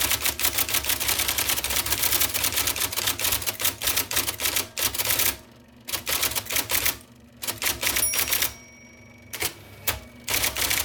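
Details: 1979 IBM Selectric II (non-correcting) typewriter, restored after a miswired plug, cleaning, flushing and lubrication: crisp, rapid key strikes in bursts with short pauses and carriage returns; normal operation.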